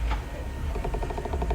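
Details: Acura power side mirror with engine running: rapid even clicking chatter, about eleven a second, as the mirror flutters up and down when shifted into reverse; mirror motor chatter.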